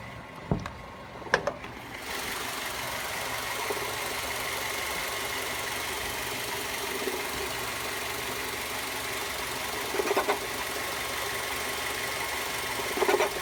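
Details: 2007 Mazda 3 2.0L at idle: steady light metallic rattle with a few sharper taps, persisting after both belts and the tensioner pulley were replaced (which cured an earlier squeal); source unknown.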